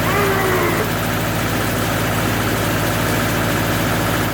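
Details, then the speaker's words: Homemade concrete mixer running via a sprocket drive: steady, even, low diesel drone with no knocks or surging. The drum turns at 22 RPM against a 20 RPM target; running normally. "And it works! I counted the number of rotations over a set period of time and came up with a speed of 22 RPM, close to the 20 targeted."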